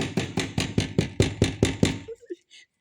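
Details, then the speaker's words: Dacia Spring, 65 hp: about nine sharp hollow clunks, roughly four a second, when the front bumper is struck, sounding like a broken stabilizer over bumps; loose bumper retaining clips rattling. "die Dinger klappern, aber wie verrückt hier diese blöden Verbinder, die sind und das hört sich drinne an, als wenn wenn Stabi kaputt ist."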